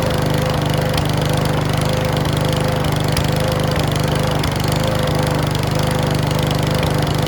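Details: Mountfield V35 150cc mower (HP414, 38cm cut) after a carb clean; uneven beat with scattered sharp pops and clacks. Owner suspects the carb needle needs sorting; possibly low on fuel. Cause not confirmed.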